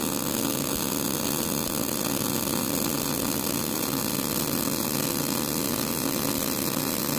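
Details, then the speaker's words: Old Millermatic 185 MIG welder with wire feed speed raised toward the 80–82 sweet spot after popping at 60–70. A constant even frying sizzle through the whole weld with no popping or sputter shows wire speed set right. "all right sounded a little bit better now we're going to go up to the 80 what I consider The Sweet Spot 80 82 in there"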